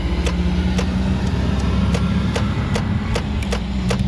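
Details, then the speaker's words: Chrysler Pacifica no-crank: sharp single clicks about every third of a second over low outside rumble with no cranking, despite a new-looking starter feed fuse; the main starter feed fuse is blown. "Other than that, we got to get it in the shop and get down to that starter. That's what it's behaving like. It's kind of strange that it keeps doing this, though."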